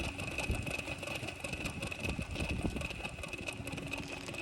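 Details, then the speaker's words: Hotshot truck idling with a Bosch alternator: a steady high whine over the engine with a busy rattly hash. A noisy, failing alternator is the issue; a same-amperage Bosch replacement is fitted afterward. "well there it is about 20 minutes later hear it hear how noisy it is"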